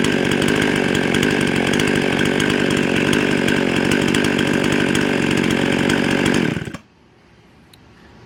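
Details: Husqvarna 55 chainsaw before repair: it screams high and steady at about 13,500 rpm, still climbing, then cuts out abruptly. It runs lean and fast from an air leak at the carburetor gasket.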